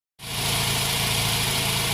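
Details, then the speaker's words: Well-conditioned Mazda RX8 rotary engine in good shape, given as a reference for how it should sound. A smooth, even, buzzy idle with a steady hum and no knocks, misses or rattles; normal idle. "Now I'm going to leave you at the end of this video with a short clip of a well-conditioned running engine in good shape, so you can use it as a point of reference to see what the engine should sound like when it's running."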